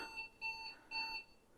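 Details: IBM 5154 EGA monitor after power-supply repair, connected to an IBM 5150: short, clean high-pitched power-on self-test beeps over a quiet room as the EGA card BIOS shows; normal boot.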